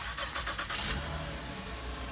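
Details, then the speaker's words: 2012 Honda Odyssey V6 after replacing two bad rocker arm oil pressure switches for code P3400 and changing the oil: short crank, catches at once and settles into a steady, even idle with no misses or knocks; normal start-up. "this vehicle all set we fix the problem we're going to start it"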